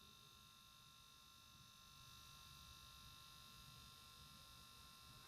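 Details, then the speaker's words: Panasonic Arc 5 shaver automatic cleaning station during cleaning: loud steady buzzing whir with a hiss of water and detergent sprayed through the shaver, no stutter or pitch change; normal cleaning cycle, followed by drying. "That's like the system shooting the water mixed with the detergent through the machine. It's pretty loud."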